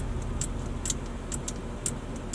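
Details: Truck in the cab with the key on, during diagnosis of the main power relay: light, sharp clicks come irregularly about twice a second over a low hum as the relay clicks but does not pull in. A fault is suspected, not confirmed.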